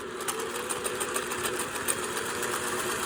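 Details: Fully serviced Singer 401A sewing machine sewing a fine decorative stitch: light, even needle chatter at a steady fast pace with a soft motor hum; smooth, quiet, healthy running.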